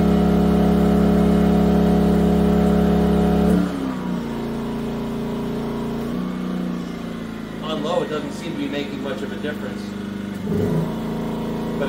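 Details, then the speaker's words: Yamaha EF2000iS inverter generator on propane after tri-fuel conversion, leaned out, Eco mode: steady drone, then drops to a lower, quieter speed and keeps running evenly without hunting; normal running. "can respond up to the load fairly quickly even on EC mode it's about 1,400 WTS"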